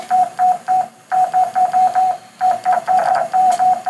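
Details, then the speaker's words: Homebuilt 40 m QRP CW Pixie transceiver kit on a 9-volt battery: clean mid-pitched tone chopping on and off in quick even bursts; rig keeps outputting an unwanted constant tone, cause unknown, same fault on both built units. "We've got 2 of them doing the exact same thing. It's like it's got that constant tone."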